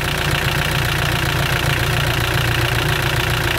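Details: Mitsubishi L200 Sport GL diesel at idle: loud, rough clatter with heavy, uneven knocking under a deep rumble; oil spatters out after about 40 seconds of running, showing a badly worn engine with heavy blow-by.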